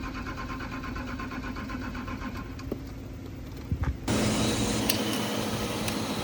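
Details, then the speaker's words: BMW E38 with M51 TDS diesel, mechanical injectors and pump, morning start: slow even starter churn about four beats a second, then catches to loud idle, possible misfire; needed long cranking to start. "Crank it for a few minutes, you said. We cranked it for like 5 minutes non-stop for it to start."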